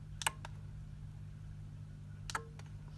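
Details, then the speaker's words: Eagle 5-gang remote-control extension lead switching a socket on and off: two sharp, crisp relay clicks about two seconds apart over a quiet hum; normal relay operation. "so as well as this flashing you can hear the soccer ping on and off so this actually does exactly what we want"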